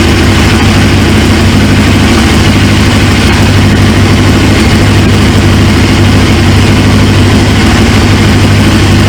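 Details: 1999 Suzuki GSX-R 750, used engine on first runs: steady, even low idle with a smooth rumble and no knocks or misses; healthy, while fuel leaks at the high-pressure line's quick-connect from the tank, owner suspects the O-ring.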